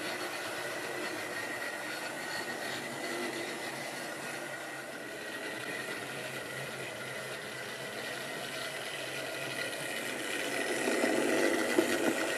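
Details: Wrenn West Country class model loco Lyme Regis, unrun since the 80s, after servicing: couplings freed of paint on bearings, joints greased. Light, steady motor whir, even beat near 200 a minute, picking up slightly at end; runs smoothly.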